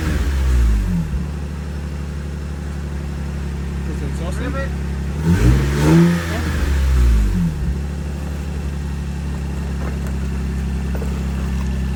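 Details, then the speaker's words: Lexus IS300 after an exhaust leak fix and Megan Racing H-brace install: deep, even exhaust note climbs smoothly on a quick rev and settles, no puffing or ticking; exhaust now sealed all the way to the back. "sounds like it's going all the way to the back now"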